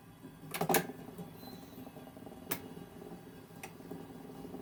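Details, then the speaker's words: 1942 Zenith 7S685 radio-phonograph console record changer, serviced and run through several cycles: it does not return the tone arm to rest after the last record and keeps replaying it; brief clicks and soft clatter as records drop and index, then quiet running; normal changer cycle. "this one does not return to the tone arm rest position after the last record it just keeps playing it just keeps cycling through onto the last record"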